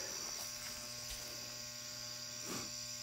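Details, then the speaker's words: 400W high-pressure sodium floodlight, owned 8–9 months and switched on for the first time, still warming below half brightness: a steady low mains hum with a thin high whine. Its ballast hums much louder than the owner's other fixtures. "thing hums really loud compared to my other fixtures this is the first time I've actually had it on"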